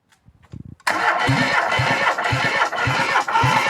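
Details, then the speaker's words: ZAZ 1102 Tavria engine that sat unused a long time, cranked on the starter while re-measuring the first cylinder's compression before fuel hoses go on: steady, even pulses of about three or four a second, none weak; compression is strong. "Ос ще раз перший циліндри пока що акумет не посадили ну компреція справді бомбезнава"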